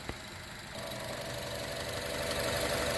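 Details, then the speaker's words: 2015 Chevrolet Cruze turbo started after a turbo coolant return line repair and coolant refill, idling to bleed air from the cooling system. It catches and settles into a steady idle with a faint turbo whistle; no visible leaks, running normally. "no visible leaks coming from that area like i said we're just letting her run to bleed the cooling system let her burp up any air bubbles if there's any trapped in the cooling system"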